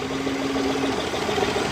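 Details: Petrol car running without its fuel pump, fed from a bottle of petrol: even steady idle with smooth low hum, no misses or knocks; engine runs cleanly.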